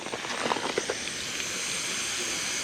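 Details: Old Husky (possibly Campbell Hausfeld) 17-gallon air compressor, motor off, after repairing the broken regulator-to-switch fitting: steady high-pitched hiss after handling noise; pressurised air leaking somewhere, to be located with soapy water.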